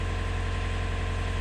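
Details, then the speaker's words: Canal widebeam narrowboat diesel at idle after fixing a no-start caused by a blown starter relay fuse: steady low even thrum, no knocks or misfires; running normally. "Right, I hope you can hear me above the noise of the engine. That's sweet music to my ears after that bit of a mishap."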